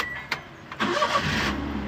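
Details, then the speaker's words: Car after fixing camshaft sensor wiring (P0340 and startability code from long cranking); short crank, then engine catches right away and settles into a steady idle, no longer slow to start; normal quick start. "फ़ौरन start हो रही है। अब पहले लंबा सलाफ ले रही थी।"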